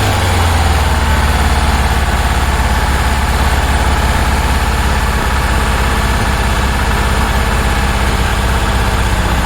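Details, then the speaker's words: 1966 Porsche 912 flat-four, cold start at about 60°F after sitting: loud, lumpy, uneven idle, burning oil; plug-wire test showed RPM drop on cylinders 1 and 2 but none on 3 and 4, which weren't firing. "one and two equal drop three and four no drop at all um because three and four weren't firing"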